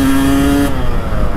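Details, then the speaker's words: 1992 Kawasaki KX250 two-stroke, revived after years stored with a cleaned carburettor and fresh fuel, test ride: crisp bark climbing sharply under throttle then dropping off cleanly; pulls strongly and runs healthy. "Voin sanoa, että se oli hyvä veto kyllä puhdistaa se kaasari. Tää toimii kyllä tosi mukavasti."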